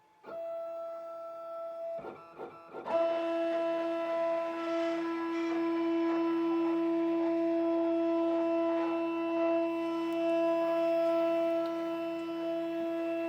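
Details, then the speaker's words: New Shapeoko 5 Pro 2x4 CNC initializing after reconnecting, with a few-second lag before homing that the older Shapeoko Pro lacked; brief starts then steady clean stepper tone, no grinding or skipping; normal homing. "And this is what I'm talking about, this lag time here. So only a few seconds, but that's new."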